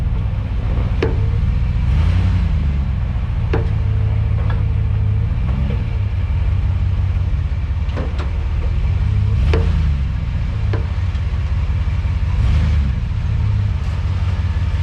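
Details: Gen 1 Ford Raptor after installing Deaver K80 military-wrap leaf springs, camera at the front spring hanger: low road rumble with scattered dull clunks on acceleration and deceleration. The owner suspects the spring mounting, not confirmed.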